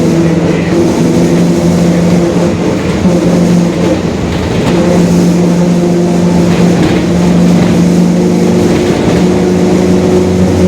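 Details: 2021 Marcopolo Torino S city bus on a Mercedes-Benz OF-1721 BlueTec 5 diesel chassis, driving: steady low droning growl under the engine note, holding through the pull; rear differential growl.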